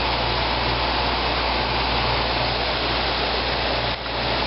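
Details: 1995 Fedders window air conditioner, never maintained or recharged, some rust underneath, heard outside near the compressor; steady, even hum with constant airy fan rush, no knocking or rattling; running quietly and normally.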